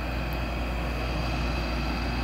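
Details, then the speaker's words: Window air conditioner in a west-facing window on a damp 95-degree afternoon, on high and set to 70, drain plug pulled: steady fan rush over low compressor hum with faint watery swish as heavy condensation keeps filling and is slung; normal operation. "with the drain plug out it's still filling up with water there's so much freaking humidity it's so it's so much condensation being built up"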